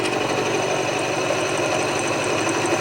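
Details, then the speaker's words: Hand milling on a 5-cylinder rotary steam engine build, switched from climb to conventional milling at 720 rpm with nearly half the cutter engaged: steady, even cutting hiss, no chatter or juddering; smooth cut that feels better for the machine. "think this is the better way to cut for the hand mill. RPMs are 720. Nice and smooth with that one."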